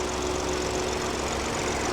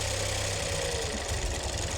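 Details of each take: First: Salvage BMW 218 convertible, first start, engine light on, possible misfire from a missing part; even smooth petrol idle with a steady faint hum, no knocks or ticks, judged not knackered; normal idle. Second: BMW 218 convertible bought from a salvage auction, off the road a long time, run briefly with an oil leak still to find: lumpy idle with uneven low thumps and a wavering beat as it clears. Rough, misfire-type running.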